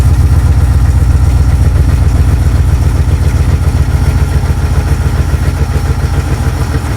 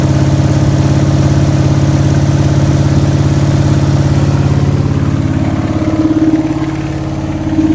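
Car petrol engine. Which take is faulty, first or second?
second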